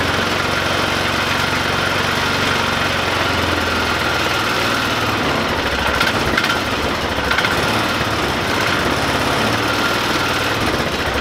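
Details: 2005 Polaris Ranger 500 UTV, single cylinder, after cleaning and reassembly with the gasket refitted: steady, even putter throughout with no misses or surging; normal idle.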